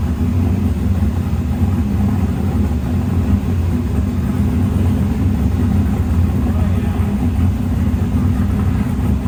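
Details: Snowcat with new Texas Speed 408 LS V8 swap, first start, no exhaust work done yet, transmission not fitted: deep steady rumble, even and unbroken, no misses or knocks; normal running.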